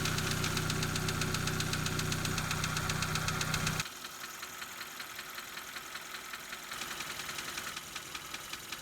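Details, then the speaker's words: Petrol car at idle after about 725 miles on Rislone Engine Treatment: quick even valve-lifter tick, about four clicks a second, loud then softer; quieter than before treatment, but clicking not solved. "it's a lot quieter than it was but it did not solve the problem you can still hear the clicking"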